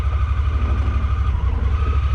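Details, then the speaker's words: Honda Pioneer 1000-5 running rough, Sea Foam didn't help; in low gear, low pulsing idle skips and misses, then dies; owner suspects worn spark plugs before changing them. "kind of hear it miss there for a second. Just a miss that time. Let's go backwards again. Hear it missing again."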